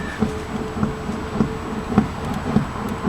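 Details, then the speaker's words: VW Passat B5 front suspension, car rocked by hand: dull thud with each stroke about every 0.6 s, heard on both sides; location unknown; front suspension knock. "если сейчас покачать ее можно услышать этот звук довольно жестко я даже не знаю где это происходит"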